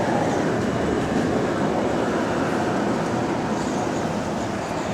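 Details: Recorded on a GAL EBD67 bus on route SL4 after the creaking suspension was fixed: constant road and drivetrain rumble while moving, with no rhythmic creaking or squeaking over bumps. The suspension is quiet.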